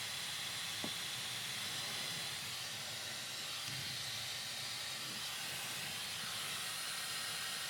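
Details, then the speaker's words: Dyson HD03 Supersonic hairdryer on speed one, re-tested after a fault where it shut down after seconds and the motor sometimes sounded strange; steady even airy rush with no rattle or surging, though hair is suspected wrapped inside the motor. "All right, let's try this again. That's fixed. That's fine."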